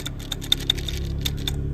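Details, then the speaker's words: Triumph TR6 A-type overdrive gearbox after removal, with an oil leak at a seal and noticeable looseness, turned slowly by hand: uneven sharp clicks about four a second; bearings suspected noisy, pin likely broken, unconfirmed. "I don't know if you guys can hear that but those bearings are making a ton of noise"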